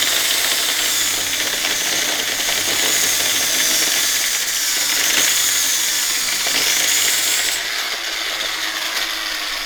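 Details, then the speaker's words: Roughly 10-year-old Rockwell angle grinder, believed on its last legs: loud, shrill screaming whine with rough, uneven chatter and wavering pitch; noisy, struggling grinder. "I think it's on its last legs it's very very last legs watch this it's gonna be loud but listen to it"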